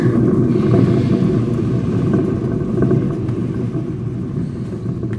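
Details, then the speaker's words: Fiat Strada rear hub raised and turned slowly by hand with no load: low gravelly rumble of a badly worn rear wheel bearing. "Moçada, tá roncando aqui no ar, apenas com a força da mão e nessa baixíssima velocidade aí."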